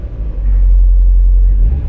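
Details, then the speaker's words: Mazda MX5 cold at about 1100 rpm after new engine mounts, poly bushes, wishbones and engine subframe: deep even rumble swelling smoothly as revved at standstill, no knocks or rattles; healthy engine. "when you rev it, there's a little bit of movement, but you can feel the car kind of come alive."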